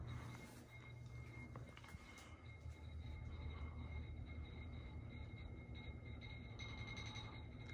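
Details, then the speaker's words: 42-inch Hampton Bay Rockport ceiling fan (2000, Air Cool, 3-speed reversible, polished brass, oak blades) on medium speed: steady low whoosh moving strong air, with irregular clinks and a faint glassy ring as the pull chain rattles against the light glass. "and i do apologize for that chain clanking against the glass but it's moving a pretty strong amount of air on medium"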